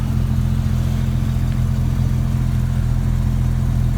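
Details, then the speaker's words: 1999 Jeep Cherokee XJ 4.0 inline-six on 60,000-mile-old plugs and ignition parts, before replacement, near but slightly below operating temperature, idling about 800–825 rpm: steady, even low rumble with regular beat, no knocks or misses; runs great, normal warm idle. "So let's go ahead and start it up. Now the Jeep runs great."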